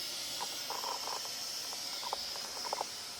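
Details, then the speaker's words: Behringer Eurorack UB1002 mixer feeding valve amplifiers, after recapping: once set up, the noise floor is a steady, even clean hiss with no low hum underneath, a normal noise floor; these mixers are known for hiss. "so let me get that set up and then I can show you yeah let's turn up and you can hear clean hiss no"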